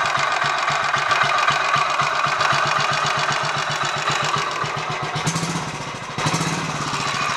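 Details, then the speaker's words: Royal Enfield 500 Machismo electric start, after reassembly with 20W-50 replacing ATF in starter sprag gear, choke on, warming up: steady single thump with light whir; normal idle, some whirring expected. "I think that's a lot better obviously there's still a woring noise I mean you're going to get some degree of noise in a setup like that but um it doesn't all sound like it's going to do anything unpleasant in a blink of an eye"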